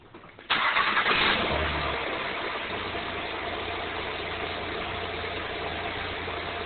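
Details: 2008 Honda Accord V6 cold start after 12 hours parked at 56°F: harsh gritty grind as the engine fires, fading within a second to even idle; suspected VTC actuator, dealer called it normal.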